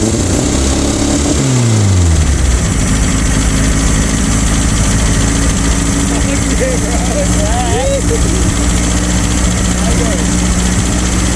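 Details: Abandoned air-cooled VW Baja Bug race car just revived after a timing adjustment, giving a short rev and then a steady, even low idle with no knocks or misses while warming up.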